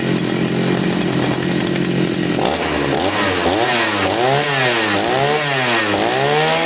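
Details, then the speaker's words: Side-mounted brush cutter with the carburetor fuel setting tuned for string-line use: a steady buzzing idle, then quick throttle blips that climb and drop cleanly. Throttle response is healthy. "Setelan menggunakan senar, suaranya akan seperti ini. Ketika kita gas, responnya mantap deh."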